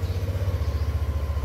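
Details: Yamaha Aerox 155 scooter idling after 3 weeks stored unused at home without warming up, testing whether the battery went flat; quick, even low pulsing around sixteen beats a second, smooth with no misses or rattles; normal healthy idle.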